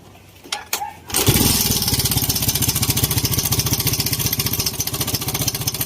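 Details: Kawasaki Fury motorcycle: the engine starts and idles with a busy metallic rattle over a quick, steady beat; the owner suspects the timing chain needs adjusting or the tensioner is faulty.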